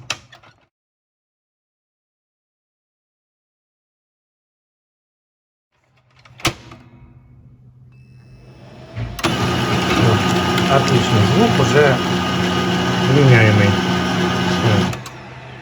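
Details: HP 2055 printer (same base as the 2035, Pro 400 and Canon MF418), which had printed with a loud rumbling crackle: after a budget temporary fix that wedges a magnetic-roller contact bushing in as a spacer, there is a click, a warm-up hum, then an even, quiet print run.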